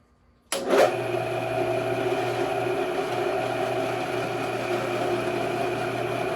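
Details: Alltrade drill press, test run during repair: the motor spins up within a second to a steady, even hum with no rattles or grinding, running smoothly and normally.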